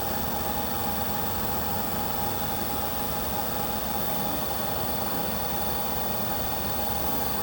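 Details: Diesel heater with error E-06 (fan not turning or no fan signal), left running after a shutdown attempt: steady fan whoosh with a faint whistle and no burner roar, because the controller can't detect the fan speed; it later fires up on its own.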